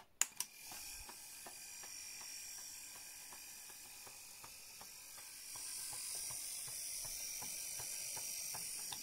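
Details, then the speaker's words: 1959 Clarion transistor battery portable 3-inch reel-to-reel twin-track tape recorder on rewind: faint high motor hiss with light uneven ticking about twice a second; the motor drive wheel spring needs adjusting for proper contact. "nd there's rewind which is not keen about it does do it it's to do with the motor underneath the spring needs adjusting but in order to get it to play i had to loosen off a little bit needs setting up but it's doing what it what it's trying to do"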